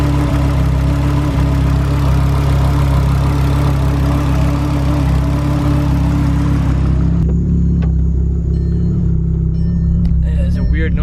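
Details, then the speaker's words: MK6 VW Golf R (big-turbo FSI build) at idle: a steady whirr from the engine bay that stops at shutdown. Source not yet identified. "there's a bit of a weird noise coming from the engine bay so shut it down like a whirring that actually got a little bit faster when you it did get faster when you revved it a little bit higher pitch when you read it"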